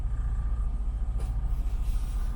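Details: Hyundai i10 before fix: low idle rumble pulsing unevenly, hunting up and down (idle rising and falling); rough idle, cause not confirmed.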